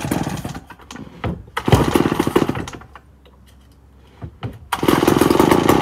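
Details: 1965 Remington Super 754 chainsaw (year uncertain), first start after long storage: saw revs up, sputters and nearly dies, then catches and roars again; uneven rough running, possibly flooded, to be cleaned up before further running.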